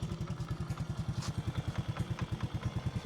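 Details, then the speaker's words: Honda motorcycle with rebuilt top end (new carburetor set, new cylinder barrel), new shocks, electric-started: even, steady low single-cylinder thump at idle; owner says engine runs smooth; normal idle. "รถรุ่นนี่มันมันมันไม่ค่อยจุ๊กจิ๊กอยู่แล้วจ้ะจเครื่องกนิ่มดีนิ่มแล้วนิ่แล้วโอเคครับผม"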